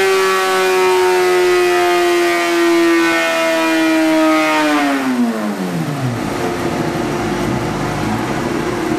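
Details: 2003 Honda CBR600RR with a 2006 replacement engine (2,300 miles) after a spun rod bearing, Power Commander and K&N air filter, on the dyno for tuning; holds a high, clean rev under load, then tone falls smoothly winding down; healthy, strong run.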